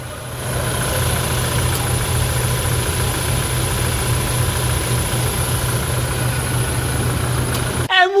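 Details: 2017 Toyota Hilux diesel, 170,000 km, at its 10,000 km service with no leaks found: steady, even idle with a smooth low rumble and no knocks or misses. Normal idle.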